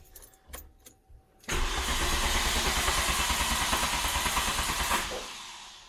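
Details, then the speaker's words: MK2 Golf GTI with a 1.8 turbo engine conversion, dead battery, cranking on a jump pack: steady cranking at about three turns a second with no firing; no spark even though the spark plugs tested okay. "We have crank and the fact that it cranked is excellent. But issue is we have no spark."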